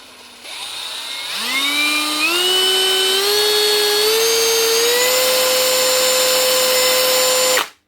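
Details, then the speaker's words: Hitachi (HiKOKI) DV18DBXL brushless cordless drill after replacing the faulty trigger switch: whine climbs smoothly in steps as the trigger is squeezed, then holds steady with no jumping, surging or cutting out; trigger now works properly. "Perfect. She's run smoothly up through the speeds as you pull the trigger. Shouldn't be jumping at all."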